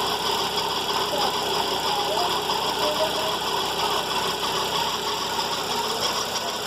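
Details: VW Fox at morning cold start idle: a constant metallic whir and hum over a steady, even idle, from a worn accessory serpentine belt idler pulley bearing.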